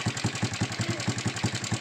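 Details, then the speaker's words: Honda Supra X125 at idle before repair, owner complaint of loud ticking: sharp metallic ticks at about five per second over a steady idle; mechanic suspects a loose cam chain tensioner, which vibrates and may be internally damaged. "oke ya suaranya seperti ini ya ini sepertinya suaranya dari sentrik kendor"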